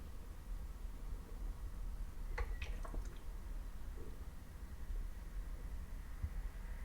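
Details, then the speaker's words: Replacement Apple MacBook Pro M4 Max running heavy Lightroom preview processing of thousands of images: near silence, only room hum and faint clicks; fans never kicked in, unlike the faulty, noisy earlier unit. "Now, when you compare this to the previous one, it's night and day. I couldn't get the fans to kick in."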